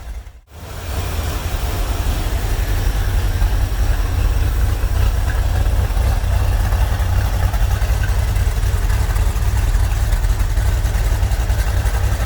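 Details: Corvette C3 V8 with Holley carburettor after restoration, idle mixture and ignition timing set, misfires cured: deep, even, loping rumble at idle with steady beats, no stumbles; normal idle.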